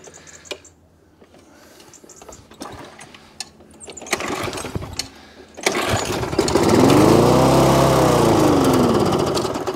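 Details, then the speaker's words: Old Mountfield Jupiter mower with dead-man's handle working; engine catches and revs hard and steady but the mower never moves off, drive not engaging, owner suspects belt has come off; carburettor works. "it runs but the drive doesn't work but that could just be a belt come off"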